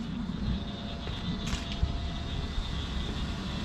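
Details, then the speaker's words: 1996 Ford F250 7.3 Powerstroke, new Irate Diesel electric fuel pump, pressure regulator set to about 65 psi and holding, fuel purging through lines, no leaks: low steady rumble with faint even high whine, a little noisy but normal. "pump makes a little bit of noise, but most importantly, I don't see any leaks."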